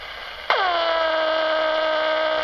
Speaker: it goes after it's important so that's the noise the netbook plug makes